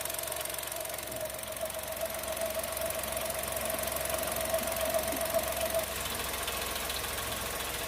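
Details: New Chevrolet Tracker 3-cylinder turbo, first cold start of the day at 8 a.m., camera at engine: light fast ticking about 2.5 per second over steady idle with faint whistle; normal injector tick per dealer mechanic.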